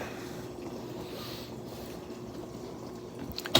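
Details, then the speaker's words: Frigidaire dishwasher in component test mode, wash-arm step: quiet, even water swish and spray over a soft pump hum, no grinding or rattle; wash arm circulating normally. "so let's open this up and you'll see the bottom wash arm you see that moving it's got a good action on it"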